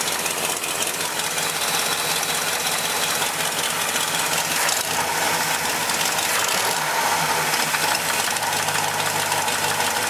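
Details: 326 V8 in a large wagon, cold idle, small driver-side exhaust leak remaining: sharp knocking about three a second, quieter when warm; owner suspects rod knock or ping in front of engine, not confirmed.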